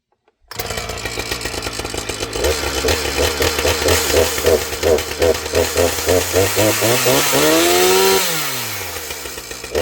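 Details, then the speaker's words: Husqvarna 455 Rancher chainsaw, starts easily: idles, then stumbles and hesitates as the throttle opens before picking up; bog off idle, possibly a touch lean on the high side; owner suspects tuning or air filter. "So, as you can see, we got that little hesitation right off of idle. Everything else sounds pretty good."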